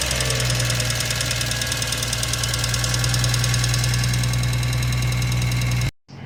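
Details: 2004 Infiniti G35 being diagnosed for a no-start: a deep, even engine hum holds steady for several seconds with no stumble or miss, then cuts off; the engine runs fine.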